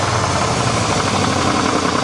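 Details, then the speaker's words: 1988 Chevrolet truck V8, running on all eight cylinders; deep, loud exhaust with a hard rapping knock when revved, judged rod and crank knock with bearings probably spun: rod knock. "this thing definitely has some rod knock and crank knock so this engine is [ __ ] it'll run for a while but it's probably already spun the bearings"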